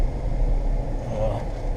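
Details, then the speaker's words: 2015 Jeep Grand Cherokee (WK2) driving, recorded from inside: steady low droning growl with no clear rhythm, heard from the front and seemingly the driver's side; owner suspects a bad front wheel bearing rather than road noise. "if you can hear road noise it's not really road noise that is the bearing that i i believe the driver's side"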